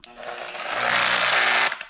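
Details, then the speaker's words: Polisher with a heavy-cut pad and Meguiar's 110 compound, buffing orange peel off a freshly painted Squarebody C10's roll pan: high, busy buzz runs steadily, then abruptly cuts out as the tool dies. "Got most of the roll pan done. But then my polisher here decided to take a dump."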